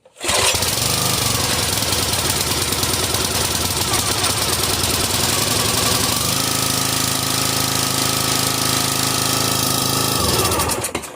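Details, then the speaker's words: Briggs & Stratton XR Professional 250cc on a Brute 35-ton log splitter, new spark plug in, full throttle: starts and runs rough and slightly uneven, then the note shifts; running rich on full choke because of a broken choke lever, which had fouled the old plug. "Because that is running closed because the choke levers broke off, and the butterfly for that, because it's so loose, it looks like it got turned."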